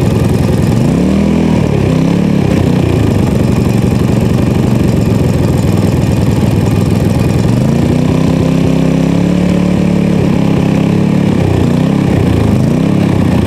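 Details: PowerSmart MB5040B 4400-watt generator, cold start at 25°F with choke on and eco mode off: steady low drone, pitch drifting slightly as governor settles; now running smoothly, no load yet.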